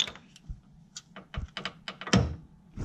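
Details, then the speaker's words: Fox body Mustang Flaming River steering rack with irregular dull clicks and thunks as the input shaft is rocked by hand; the clicking comes from the hub and bearing where the column shaft enters. "it's coming from like right in this hub here where the steering shaft comes in you know from the column the shaft and then right into this like a bearing here"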